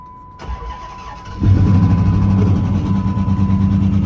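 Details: Procharged (Paxton supercharger) Dodge Charger R/T's first start in months after sitting for years; new crankshaft position sensor installed: brief crank, fires at once, settles into a strong, even idle with no stumble; starts and runs healthy.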